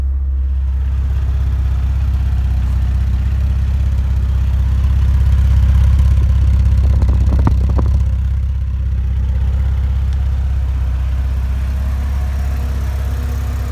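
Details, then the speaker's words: Warm Porsche 944 after adjusting the throttle body down from a 1,400–1,500 rpm high idle: smooth steady idle near 1,000 rpm, slightly over the stock 950–1,000, even beat; normal idle. "Alright guys, she's running what sounds like 1,000. It's just a little over, but that'll do."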